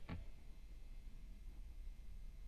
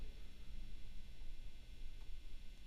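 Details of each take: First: New Fender Standard Stratocaster single-coil pickups after copper foil tape shielding and improved ground: a click then only very faint low hum, quiet background, much better than before across neck, middle, bridge. Normal low pickup hum. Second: New Fender Standard Stratocaster single-coil pickups, before shielding upgrade, sloppy factory shielding paint: low steady mains hum with faint buzz, fairly noticeable, tested bridge, middle and neck pickups. Electrical hum from poor shielding.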